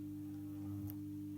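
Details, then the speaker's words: Tri-ang R.253 Dock Shunter model loco, unused around 30 years, dusty and rusty, after a basic service on track under power: steady thin hum at one pitch, no knocking; motor still sounds dry, light works. "wow the light lit up that's amazing well it was too it still sounds dry i might have to delve into this a bit more"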